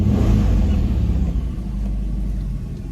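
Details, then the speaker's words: 2005 Chrysler Pacifica 3.8L, previously no-start with no PCM communication, after computer programming and wiring/ground fault found, on booster with flat battery: deep, even rumble settling after catch, no misses or knocks; starts and idles perfectly. "Sorry sorry vamos a ver si prende ya está ven todo perfecto todo"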